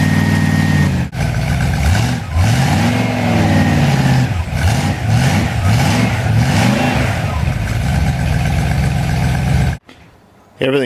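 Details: Reconditioned-bottom-end Ford 390 FE big block with 2V manifold, not yet run in, revs up and settles smoothly with a faint thin squeak from alternator or water pump; engine runs healthy.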